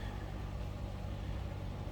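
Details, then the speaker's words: Stock unmodified 2006 Chrysler 300 Limited AWD, under 30,000 miles, heard from the rear at the exhaust: low even burble at idle with no misses, ticks or rattles, normal healthy idle. "Sounds as you would expect. A stock 2006 Chrysler 300 Limited to sound."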